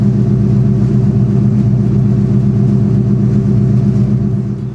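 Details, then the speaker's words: 1999 Mustang Cobra with Bassani exhaust idling after radiator install and coolant bleed: deep, even burbling exhaust rumble at a steady rhythm with no ticks or misses; engine idles cleanly and sounds good. "y'all know that car sounds good. Yeah, man. Nothing sounds like a Mustang, especially a 99 Cobra with basani exhaust."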